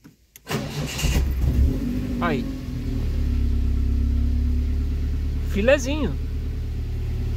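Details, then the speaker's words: Car started after a fuel pump check, with the lambda sensor unplugged and some injection electrical issues still unresolved: brief crank, catches at once, rpm rises then drops into a steady even idle. Starts cleanly; normal start and idle. "o carro tá ligando melhor tá para hora tá você vê que a rotação ela aumenta depois ela começa a dar uma caída e o carro tá sequinho"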